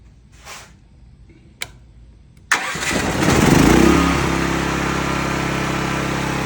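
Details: Cat RP8000E generator, about 5 years old, with the faulty CO sensor bypassed by a switch set off; quick crank, engine catches and flares, then settles to a steady even run without faltering.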